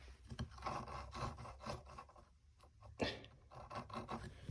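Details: 1996 Honda CR80 front wheel spun by hand: gritty, rasping grind pulsing with each turn from worn, rough wheel bearings with excessive play; both wheels' bearings due for replacement.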